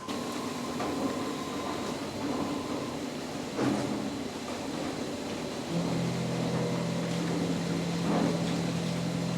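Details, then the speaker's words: CNC mill finishing 2-inch UNC holes in plate steel with a 3/4 in four-flute end mill: steady, even cutting tone with only slight remaining chatter. Smooth milling cut. "that sounds better still a little chatter but still good"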